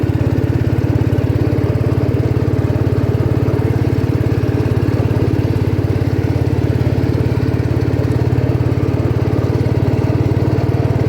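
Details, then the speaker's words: 1972 John Deere 110 revived after years in barn, driving through gears: smooth steady single-cylinder thump, no misses or knocks; engine runs healthy. "this thing's amazing it runs awesome"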